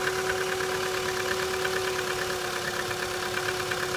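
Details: Chevrolet Cruze cold start in light frost: steady mid-pitched whine with a faint ticking pulse about three times a second, an unpleasant noise that later disappears as it warms; source unknown.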